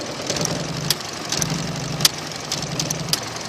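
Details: 2000 Toyota Avalon, weeks of sputtering and lost acceleration, new mass airflow sensor and cam position sensor fitted, shuts off when one corroded coil is touched: stumbling idle with irregular pops; owner suspects more than a coil problem; rough misfire.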